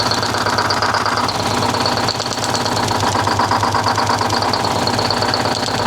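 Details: 1970 Peterbilt 341 with blown-up Detroit 6V71 two-stroke diesel, started with ether; rough uneven idle with heavy knocking beat under raspy exhaust and abnormal smoke, sounds badly damaged internally.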